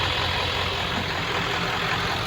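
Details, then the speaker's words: 1996 Ford F-250 4x4 7.3 Power Stroke diesel idling right after an oil change: even, steady clatter with no knocks or misses; oil pressure took about a minute to come up, as usual after a change; healthy engine. "all right so we fired it back up sounds good took a minute for the oil pressure to come up it always does right after oil change"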